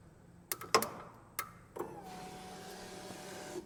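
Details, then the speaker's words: Polaris engine bought seized, starter relay under the gas tank jumped to try to crank; a few clicks then a steady whirring hum with no cranking; owner suspects the starter is locked up too. "sounds like the starter might be locked up too"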